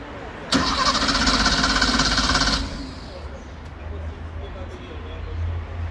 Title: Porsche 911 Turbo Cabriolet Hard Start-up Engine